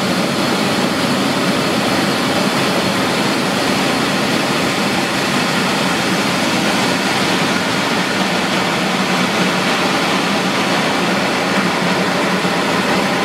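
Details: Centrifugal pump running at its best efficiency point with cavitation on the impeller blades, seen through a volute window as inlet pressure falls and then rises: a dense, gravelly hiss-like crackle over the steady running.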